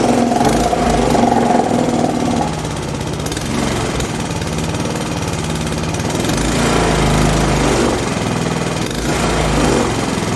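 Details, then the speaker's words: Honda GCV160 engine on a Pubert wheeled brush cutter, after repairing a broken exhaust valve rocker arm, heard through the dipstick hole: small single putters at a steady beat with no tapping or misses, now running normally. "Bueno, no sé si lo pudisteis apreciar bien, pero vamos, suena completamente diferente. Ahora suena como suena un motor de estos normal."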